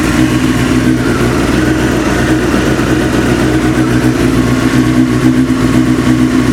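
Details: Motorcycle 954 idling, warming up: busy, uneven idle with rapid clatter over a mid-pitched engine note; knock fades as engine warms to 40–50° and slightly with clutch pulled in; cause unclear.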